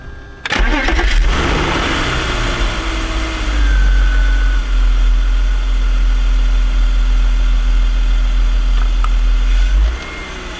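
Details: BMW M54 six-cylinder after replacing the DISA intake valve that made a horrible noise: cranks briefly, catches at once and settles into a smooth, steady idle with no rattle or intake noise.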